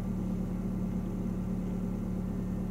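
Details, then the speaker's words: Learner car held on slight throttle ("half a coin" of gas), feet still, before finding the clutch biting point: quiet, steady low hum just above idle with no misses, knocks or whine; engine running smoothly. "well we don't want we don't want to be sitting here with too much gas cuz we could be um annoying the neighbors that's cuz they'll hear us outside"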